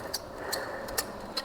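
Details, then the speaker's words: Ceiling fan making sharp metallic ticks, two or three a second, over a soft running hiss; its bearing grease has heated and dried out completely, and the fix is to open the fan and re-grease the bearing. "ख चुका है गर्म होके पूरा का पूरा सूख गया है तो इस टाइप ये आवाज कर रहा है"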